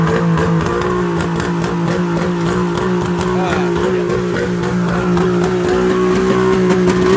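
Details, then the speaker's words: Mercury two-stroke outboard on water muffs after new fuel-water separator and new plugs, on high idle choke: burbles at fast, slightly uneven idle; running on all cylinders but idle needs setting down. "I'm going to put this into a high idle choke it like it's running on all the cylinders but H hm"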